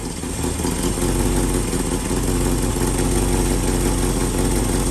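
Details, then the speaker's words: 1967 Mustang V8 after timing corrected from 15 toward 10 degrees and vacuum advance reconnected, target idle 600–700 rpm: steady low even burble, no miss or tapping; normal idle. "so that's the reason why you want it idle down at a respectable level probably around 600 to 700 rpm is where you want it"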